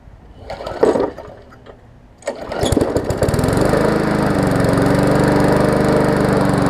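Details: Murray 3.5 hp push mower after full service, new spark plug and primed, with a toggle kill switch fitted: a couple of pulls, then a steady, even drone with no misses or surging; runs properly.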